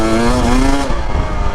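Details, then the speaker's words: 2025 Husqvarna TE250 two-stroke enduro in desert riding, switched back from richer white map to green map: sharp rising howl climbing smoothly and evenly with throttle, no stutter or break-up; clean acceleration. "You see, the green map, you can hear the difference. It just rips."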